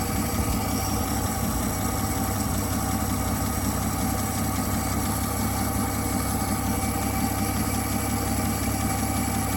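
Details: 1959 Dodge Coronet idling after fixing a sticking carburetor needle valve that had starved it of fuel: steady, even smooth low rumble with no knocks, misses or hunting; runs properly.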